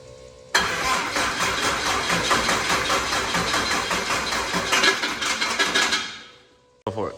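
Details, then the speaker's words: Truck with aftermarket starter: loud harsh grinding through about five seconds of cranking before cutting off; starter drive has a lot of play when it shoots out, faulty. "all right so after a little diagnosis we've determined that this starter is uh not good it uh that was that noise you guys were hearing it it was really loud it's got a ton of play when it shoots out compared to my factory one"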